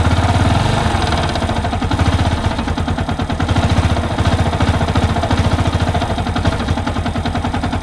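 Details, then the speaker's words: Yamaha YBR 125 motorcycle idling: a heavy, irregular low knock every few beats, which first appeared at idle after revving and now occurs without revving; crankshaft main bearing knock. "Мотор застучал, надо вскрывать. И даже сейчас вроде слышно."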